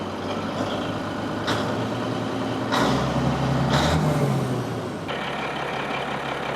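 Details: Caterpillar SS250 soil stabilizer diesel, believed to be a 3406B, sat 5–6 years, freshly started, about 40 psi oil pressure; deep steady rumble picking up smoothly with a brief light throttle blip; runs clean and healthy.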